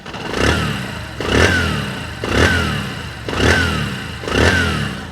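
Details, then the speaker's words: Bajaj Discover 125cc engine after full rebuild (camshaft bearings, ring kit, seal kit) of a badly worn engine: five even throttle blips rising cleanly and falling back to smooth idle, no knock or rattle; healthy, "like a new bike". "एकदम मलाई sound है, मतलब कहते हैं नई गाड़ी फैल है।"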